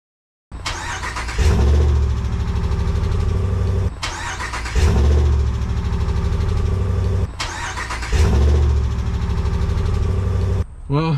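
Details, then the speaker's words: Dodge Ram 1500 pickup being considered for purchase, first start: three cranks and catches, each followed by fast rapid ticking over idle; loud tapping on start not repeated on restart, cause unclear. "don't know but the first time i started it it makes a big tapping sound i i just my truck doesn't do that i don't know if that's how new trucks do it"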